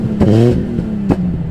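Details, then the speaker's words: BMW E46 M3 with an RKTunes tune, showing an air temperature sensor fault and throttle issue: a short rev with two sharp clattery bursts, uneven; owner asks if cylinders are missing, and it struggles to accelerate. Rough uneven revving. "the M3 should not sound like that it doesn't it's not making the same engine sound foreign [Music] am I missing cylinders that's not how it sounded before"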